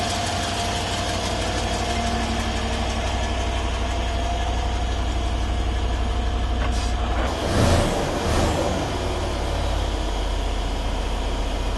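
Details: Stock 2012 Mercedes E550 4matic, M278 4.7 twin-turbo V8, cold start after 5h parked: idle with light fast metallic flutter in exhaust from wastegate flap fluttering due to faulty linkage.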